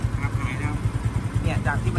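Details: Honda Wave 110i 2021 at idle only, before fixing an engine noise: the small single has a quick, steady tapping riding on each beat. Engine ticking noise; cause not stated.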